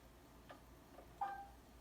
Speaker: my very favorite strange warning noise it makes is the door locks you press the door lock button once and you get this beep